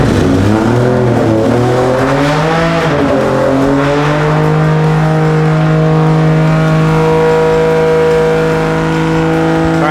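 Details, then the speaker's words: Toyota 2JZ engine in an E46 pro drift car build, first start and first heat cycle after slight flooding; catches, blips and settles into a clean steady fast idle, firing evenly with no knocks or misses; break-in oil working, engine sounds happy; timing still to be verified. "The braking oil seems to be working awesome. The engine sounds pretty happy."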